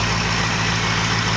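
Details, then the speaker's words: 2004 Ford 6.0 Power Stroke diesel cold-started without block heater, slow 600-700 rpm idle with very cold oil before high idle mode: low steady even clatter, no misses or knocks; normal cold idle. "It's not good to let these these engines idle, you know, between 6 and 700 RPM when it's real cold like this for any length of time."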